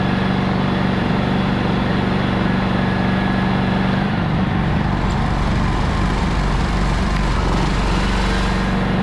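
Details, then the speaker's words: Honda EX1000 generator, sat unused for years, fuel drained and reassembled, running a vacuum as load: steady, even drone that holds speed, settling slightly as load comes on; starts easily, runs normally. "all right all back together starts no problem runs the vacuum we're good to go"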